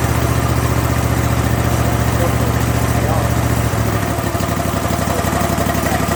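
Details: Kohler 7000 series engine on a zero-turn mower after a carburetor rebuild to cure surging at idle, mid and full speed. Even, steady low thrum at idle with no rise and fall; the surging is gone.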